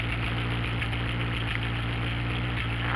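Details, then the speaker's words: Ford Ranchero V8 idling cold after the broken passenger-side exhaust pipe was repaired: steady, even low rumble with no puffing or popping; before, the leak made it sound like half a dragster. "But now, if you listen to it, the exhaust leak is fixed. I mean, I came in here, it sounded like half a dragster. I was hearing half the engine, 4 cylinders hitting on the left side, or on the right side. Now it's running nice and smooth."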